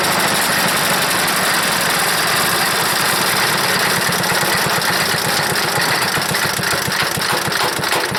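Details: Wood chipper's small engine, smoking, leaking, no air filter: fast uneven putter of about three beats a second never settling; owner suspects bad float and dirty carburetor needing cleanup. Rough running.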